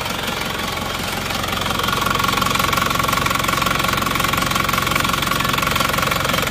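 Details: Cold Isuzu Panther diesel idling after a morning start with temperature not yet up: hard, rough, regular clatter about 2.5 beats a second, with smoke already showing. Compression measured only 15 bar, caused by a burnt exhaust valve. Radiator had pond water instead of coolant; engine coming down for overhaul.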